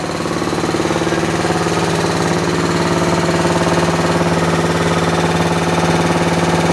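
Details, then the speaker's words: Universal model 42 RSS generator, 2500 W, rated 1800 RPM, first run after 5 years with fresh gas, light load of a lamp: steady but slow, heavy chugging of around 220 beats a minute; bogging because the choke was left on. "Okay, something I just realized. This thing was running with the choke on. That's why it was running so slow."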